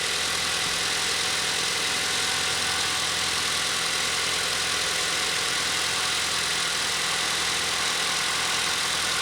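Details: Car started for the first time in almost three days during a battery test, hood open, charging about 14.8 V; even, steady idle under heavy hiss with no misses or knocks; healthy normal idle.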